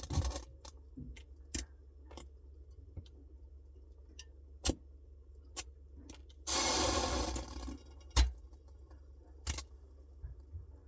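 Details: Samsung Bespoke refrigerator noise: quiet hum punctuated by uneven metallic clicks and jangles, plus a brief hissing rush midway; intermittent internal rattle of unknown origin.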